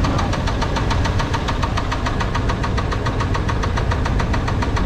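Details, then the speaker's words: Small-block Chevy V8 with connecting rod knock, broom handle on valve cover: deep regular knock about six a second pounding through the running note, growing louder and faster with rpm. "it actually will follow up with engine RPM so as we increase the RPM the knock's going to get louder and more for out"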